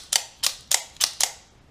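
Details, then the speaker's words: Double-spring OTF knife after greasing springs, deployed five times: crisp short clicks with no spring twang; springs still touch but grease stops the springy sound, no impact on performance. "that springy sensation that sound that comes across when you deploy it is now gone the springs are are hitting each other still but the grease is stopping the springy action sound"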